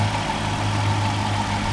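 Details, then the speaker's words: Chrysler Town & Country van with a 3.3 engine, idling after the alternator was replaced and the EGR reinstalled; the battery light and bearing noise are gone. Smooth, steady low hum with no whine or bearing growl. Normal idle. "make sure you put your egr back on plug everything back up no more battery light no more bearing noise"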